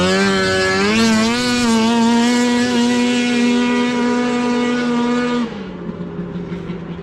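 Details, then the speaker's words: Arctic Cat F7 two-stroke snowmobile at full throttle on a run after a fuel swap: earlier it snuffed out as if seizing, and the new fuel has oil in it. A strong wail climbs and holds clean and even before backing off, so it is running healthy. "Well, it ain't blowing up. That sounded like it was hauling the mail right there."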